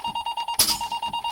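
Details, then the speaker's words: Truck air brake check, pumping the brake pedal to bleed air: fast, even buzzer pulses about eight a second at a steady mid-high pitch as the low air warning comes on at about 70 PSI, above the required 60; working properly. "Now I'm going to pump the brake pedal down, and at 60 or above, the warning light or buzzer, low air warning light or buzzer should come on at 60 or above. There, it did, see?"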